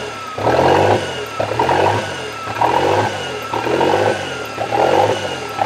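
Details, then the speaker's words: Toyota 3E-TE engine at startup: idle swells and sags about once a second between about 1500 and 2500 rpm, never settling; hunting idle, engine seems to run hot, cause unknown. "so yeah when it starts up it does the bounce idle between about 1500 RPMs to about 2500"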